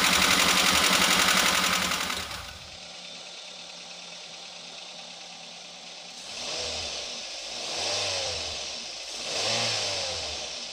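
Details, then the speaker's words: Daihatsu Gran Max 1.3 after readjusting valve clearances that were too tight or too loose (0.10 to 0.50): loud stretch, then quieter engine with three smooth, even revs and no rough clatter; back to standard, normal running. "Bagaimana hasilnya agan2 sudah berbeda dari suaranya yang tadinya kasar Tapi sekarang sudah kembali standar"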